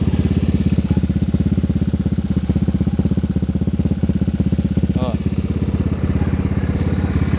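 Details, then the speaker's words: Honda Vario 110 carburetor scooter bored up to 130cc, 2007, after engine rebuild; steady single-cylinder idle with deep, slightly bassy exhaust note, no misses; runs normally. "Nah untuk suaranya nya kayak gini ya knapotnya masih sama cuman gua dengarnya sih kalau lagi idle gini agak ngebas ya agak ngebas"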